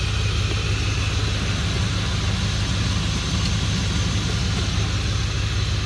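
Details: 2003 Dodge Ram 1500 5.7L Hemi 4x4 just after a radiator replacement (it had been overheating with no cabin heat), at about 20°F. A steady, even, smooth V8 idle with no knocks or misses while checking for leaks.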